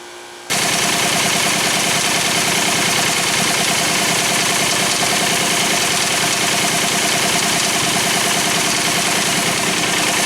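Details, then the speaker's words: Pontiac Firebird (3rd gen) with rebuilt 1985 Quadrajet carb, idling after the stock valve cover cured rocker noise: busy, fast ticking whir from the belt drive that vanishes with the serpentine belt off; exact accessory still unidentified. "That noise right there, still there, but it's gone as soon as I take off the serpentine belt. I'm still not 100% sure which one it is, which accessory it is."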